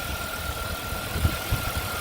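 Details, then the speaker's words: 2001 Chevrolet Impala that hesitated and cut out when hot, then would not restart for several minutes; after replacing the ignition coil it idles low and steady with a faint constant tone and no misfire; normal idle. "we replace this ignition coil and the car now is running fine beautiful"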